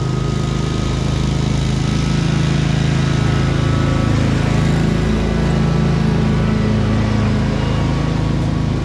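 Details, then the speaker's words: 2003 Wright Stander, 23 hp Kawasaki V-twin, after everything wrongly hooked up was corrected and adjusted: smooth, even beat with a steady low throb and no misses or surging. It runs properly. "Everything was pretty much hooked up wrong. So figuring it out here, and I get it working just the way it's supposed to."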